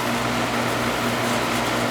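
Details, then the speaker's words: Carrier AC condenser that was not cooling, restarted after the wiring connections were tightened; dead compressor side of the capacitor found, fan side low. Running and getting cold, hot on top: even fan rush over low mains hum, no rattles or surging; normal running. "look it's running getting cold hmm she's a crusty one"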